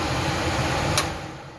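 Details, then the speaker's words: Garage furnace that only made a loud hum and whose fan would not kick on, after its blower motor was remounted: a smooth, even rush of air with no hum or buzz; it runs far better. "we're gonna push the switch in oh yeah it's a lot better there's a lot better"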